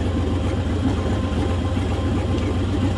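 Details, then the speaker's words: LS1 V8 in a mini dial truck with a stock stall converter, idling: a deep, uneven, lumpy beat that keeps stumbling and hesitating. Rough idle; the cause isn't yet known, and the owner hopes it improves once warm. "so it's just still stumbling and hesitating but as far as the steering and brakes and everything is good"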